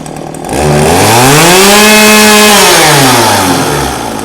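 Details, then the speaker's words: Old two-stroke chainsaw, unused about five years, after cleanup and tuning: revs up cleanly and falls back to a steady, even idle with no stumble or misfire, oil coming out on the chain; running healthy. "okay she's running good she's idling good and we got oil coming out on the Chain"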